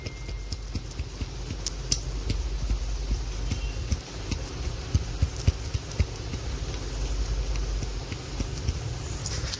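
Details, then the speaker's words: Honda CB Shine motorcycle engine before rebuild: uneven sharp knocks about four a second over low rumble; very bad main bearing sound and excessive crank noise, crankshaft main bearing knock. "इसकी main बरिंग का बहुत खराब sound आता और crank का भी सांड ज्यादा था इसमें साउंड भी है"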